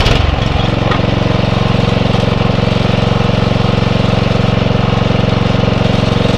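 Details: Atco Royale B24E cylinder mower engine after carb clean: steady even beat about three firings a second, revs sag briefly as drive engages then recover cleanly; much less hunting under load.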